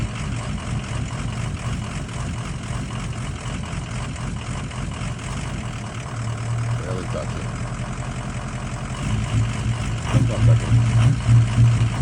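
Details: 2004 Ford F250 6.0 diesel, cold first thing in the morning, idling in gear: an uneven, lumpy beat around three pulses a second that firms slightly under load; rough idle that worsens in Drive and improves when warm, cause unknown.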